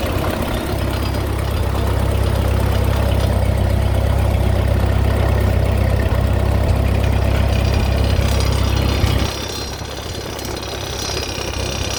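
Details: Ford 8N tractor at steady low idle with an uneven tapping about two beats a second before the engine note drops away; cause unknown. Engine knock at idle.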